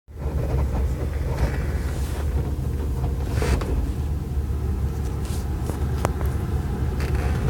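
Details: Alfa Romeo 156: steady low drivetrain rumble with scattered light knocks that goes away when the clutch is pressed.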